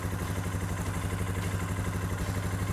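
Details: Suzuki King Quad 450 ATV, just started during fluid service after a cooling system repair. Smooth, even single-cylinder putter at steady idle with no knocks or misses: healthy idle.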